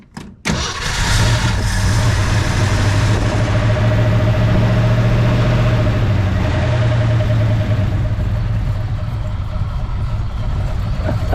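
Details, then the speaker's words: 1966 Ford Fairlane 390 FE V8 after reconnecting coil wire, rebuilt unadjusted Autolite 4100 carburetor; short crank then catches cleanly into steady, even, lumpy idle, no misfire; idle somewhat too low, slight fuel leak at bottom. "Listen to it run, y'all. Jump out. Jump out, jump out. Purr like a kitten now. I mean, that thing is idling."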